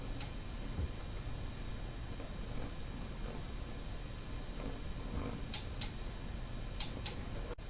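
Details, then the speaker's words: Nissan 240SX S13 with a swapped RB20DET, which failed its second start attempt: the injector circuits are tested with a noid light, and faint, regular, even injector ticking shows the circuits are good. "I'll probably go along the other circuits just so I can hear the other fuel injectors clicking"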